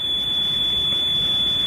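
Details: Sony Walkman (WM-EX102/EX610) after belt replacement playing a 3 kHz test tape: a steady tone noticeably above 3 kHz, so the tape runs fast. The speed screw must be turned until it reads 3 kHz.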